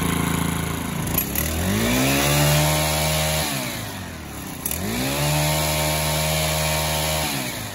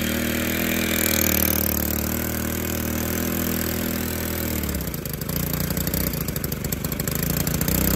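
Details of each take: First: Stihl FS 110R 4-Mix trimmer after a new clutch kit and spring for worn shoes; it revs twice and drops cleanly to a steady low idle that holds, now idling down properly instead of running wild. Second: Stihl FS 110R 4-Mix trimmer on bench, clutch not engaging, throttle fully closed (came in for broken clutch spring): buzzes fast and high, never dropping to slow idle; won't idle down, cause unknown.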